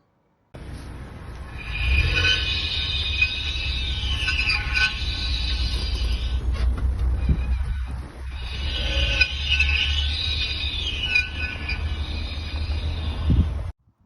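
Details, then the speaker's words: Lada Vesta NG right rear wheel squeaking while driving after standing overnight in floodwater: wavering high squeal with wheel rotation; owner suspects pads worn to under a tenth of a millimetre plus light rust. "В общем, причина в том, я так понял, скрип этого, то, что колодка прямо даже десяты, миллиметра нету даже десятки."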